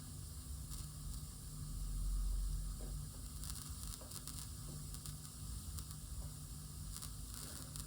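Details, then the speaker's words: Tascam LM-8ST mixer, XLR from left channel ST1 to Adam Audio A7X monitor: faint irregular crackling and popping over hum, flaring with small volume-knob movements, regardless of cable or speaker; cause not confirmed. "There is clearly cracking noise, popping noise in the speaker. Actually, one small movement and you can hear that."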